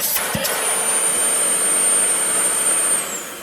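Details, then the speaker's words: Dyson (possibly a DC41) with a no-suction complaint, motor tested with the dirt bin removed: a clean, steady high-pitched whoosh with no grinding, then a smooth wind-down; the motor runs normally with good suction. "Motor suction is good. The motor sounds good. It sounds like a Dyson. It doesn't have any kind of grinding noise."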